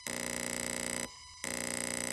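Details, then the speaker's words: Renault Clio 4 0.9 TCe turbo boost control solenoid activated by scan-tool bidirectional test, ignition on, roughly 40% duty cycle (4.5 V); steady high-pitched electrical buzz in two bursts with a short gap, solenoid clicking over correctly, normal operation. "we've got here the solenoid which will take the vacuum the vacuum which will activate this actuator now let's activate it and you can hear that noise you'll feel a vibration here"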